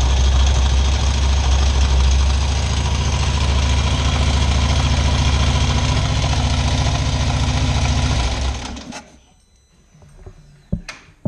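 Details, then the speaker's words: Harley big V-twin on stand, before fixing: idles with loping beat and light steady top-end tick, then shuts off. "so let's get a sound clip of the bike right now and see if we can hear the ticking of the engine hopefully this camera will pick it up"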